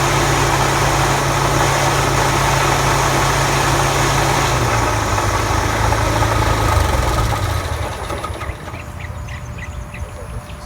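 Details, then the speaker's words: Toro TimeMaster 30-inch mower deck: belts struggle to bring the blade spindle up to speed, then a loud, harsh rubbing roar near the belt area that fades as blades wind down. "if you can see the belts are having a hard time getting the blade spindle and moving up to speed when it does get up to speed you hear a loud noise like parts are rubbing"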